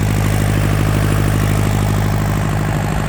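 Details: Yanmar TK486 4-cylinder diesel: steady, even idle clatter with a deep, regular thrum, no misses or knocks; no blow-by pressure from the vent, healthy engine.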